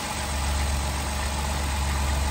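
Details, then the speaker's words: Automatic Jeep Wrangler bought totaled from auction, previously wouldn't start (owner thinks battery just needed charging), now started and idling: steady, even low idle with smooth hum, no knocks or misses; sounds pretty good, normal idle. "sounds pretty good to me that's amazing i'm so happy it started one way or another we got it running"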